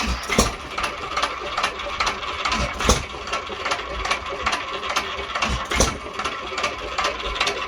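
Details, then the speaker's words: Unmarked 1 1/2 hp hit-and-miss engine (owner guesses Hercules) with ball governor, after cleanup and tune-up, set about as slow as it will run reliably: sharp, even, crisp firing pops every couple of seconds with quiet coasting between; normal hit-and-miss running. "well i've tried unsuccessfully to get it slower thinking that's about the best i'm going to be able to do and keep it reliable anyway"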